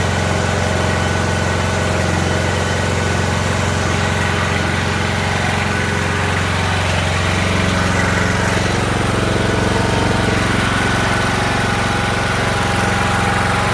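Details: Ariens riding mower with a 20 hp Briggs and Stratton Intek engine, jump-started on a weak battery: idle rises and falls, hunting and surging, then stalls.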